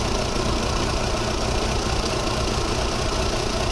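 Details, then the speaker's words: VW Polo 1.4 16-valve, booked in for ECU replacement: uneven lumpy idle with irregular stumbles while injector waveforms are compared on a scope; slight rough-running misfire under diagnosis. "it's jigging around a bit because we've got obviously a um slight rough running concern"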